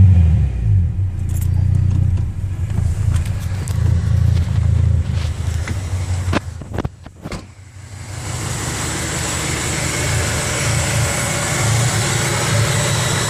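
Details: 1994 Honda Prelude with JDM H22A swap, 5-speed, after washing the engine bay with degreaser: lumpy uneven idle with stumbles and near-stall before picking back up; misfire, water in the ignition suspected, not confirmed.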